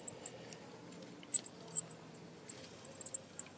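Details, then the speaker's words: Original alternator removed from a 2003 GMC Sierra SLE 4.8 L, spun by hand: sharp high squeaks in quick uneven bursts from inside, with no play in the pulley; judged to have failed. "in here it's squeaking there's no play in the pulley so I think the um the alternator is just went kaput"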